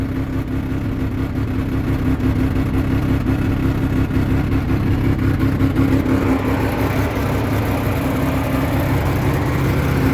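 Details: 1985 Mazda RX-7 GS: starts right up but idles rough with a wavering, stumbling low hum, whole car shaking; sometimes dies at stops without gas, restarts afterward; cause not yet found.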